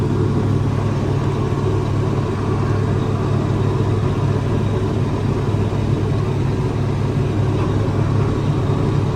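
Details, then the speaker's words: Tractor diesel running smoothly after draining water from the fuel-water separator, cleaning contaminated fuel and strainer, adding biocide and fresh diesel; earlier it went into limp mode capped at 1500 rpm and died. Steady, even low rumble, no stumbling or surging: normal running. "but it's going running much better now"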